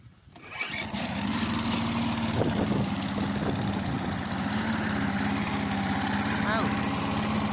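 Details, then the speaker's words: Briggs & Stratton 3.75hp Sprinter mower, restored, first start after a year's storage, throttle fully open, engine still cold: catches quickly, then settles into a steady, even full-throttle drone with no misses or knocks; running healthy. "Just a bit cold. I let her warm up. It sounds very well."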